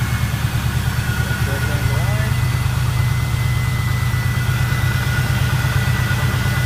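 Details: 1998–02 Camaro LS1 V8 test-fired just after an alternator replacement, with the belt checked for alignment: smooth, steady idle with no screech or belt squeal; the accessory drive sounds quiet and healthy.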